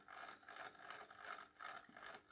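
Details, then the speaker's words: FLY Renault 5 Turbo slot car running badly, toothpaste applied to tight crown and pinion gears as lapping compound; slow rasping ratchety gear whir, surging and dragging unevenly; gear mesh binding. "you can see already even the toothpaste slowed it down it's so tight you know the little bit of toothpaste instantly made the gears"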